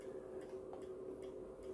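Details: MW POWER MW-SC6B charger set to 24V recondition mode on a 12V battery, read on a 0–600 mA milliammeter; faint ticking about twice a second over quiet buzz with each charge pulse, questioned as unhealthy charging.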